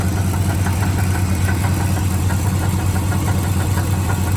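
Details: 1982 Ford F-150 with 302 V8 at idle: regular knock a bit over once a second riding on the low hum; owner feared rod knock but traced it to a pulley, suspects alternator over-spun in a burnout.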